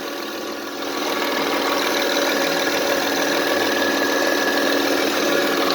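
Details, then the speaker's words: 2005 Honda Accord 3.0L at idle: steady mid-pitched hum not changing in pitch; power steering pump moans as a faulty hose sucks air into the fluid, though fluid level holds; separate rattle near timing belt area. "but what it's doing it's sucking in air kind of a broken straw when you're drinking a soda you're sucking in bows and stuff"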